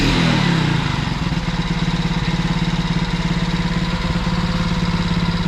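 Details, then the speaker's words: Alfa 110 single-cylinder after new piston and rings fitted to cure a knock like a valve with large clearance: after a brief rev, steady even putter with no knocking; knock gone, normal idle. "Стук [музыка] прошёл, ушёл."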